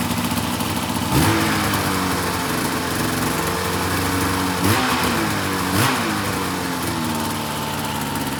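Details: 2004 RMK 800 two-stroke sled with SOP exhaust, Boyesen reeds; crisp even idle burble with a few quick throttle blips rising and settling cleanly; healthy idle.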